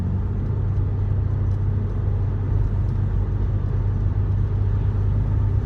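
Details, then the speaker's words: BMW E90/E92 driving after VANOS solenoid cleaning, barely any throttle where it used to stutter: even, low road-and-engine rumble with no surges, bucking or hesitation; pulls smoothly, stutter gone. "So, what I'm going to do is just barely give it any throttle cuz that's where it would stutter. It always want me to downshift. So, let's see if it does it."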